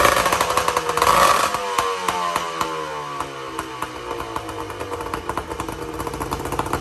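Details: 1994 Tohatsu M40C two-stroke outboard after water pump replacement, unseizing the seized motor and freeing the locked lower unit, run with water on: crisp, quick popping beat, revs easing down and settling; clean and even, no knocks.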